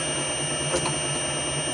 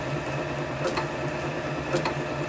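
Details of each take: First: Motor on VFD with carrier frequency (F07) back at its previous setting: constant high-pitched switching whine above low motor hum, unchanging pitch, noticeable but manageable. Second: Motor on VFD with carrier frequency (F07) raised above 10: low even hum with faint soft tick about once a second, no shrill whine; little different from 10, about where it should be.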